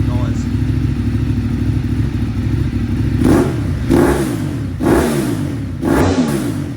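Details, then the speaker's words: Ducati 848 Evo V-twin, an abandoned non-runner revived after an immobilizer ring fix, warming up: steady idle, then four crisp throttle blips that rise and fall cleanly. Healthy, strong warm-up. "we're getting warm up and then I'll come back in otherwise this is too loud on the microphones"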